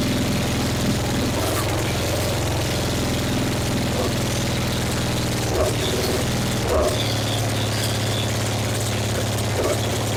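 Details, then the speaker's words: 1966 Triumph Spitfire MK II engine running after 41 years abandoned, very loud from a large hole in the exhaust: low, steady idle with constant drone and a few small pops; runs on its own. "oh well she got lots of issues but she did run it's super loud because there's a huge hole in the exhaust right there"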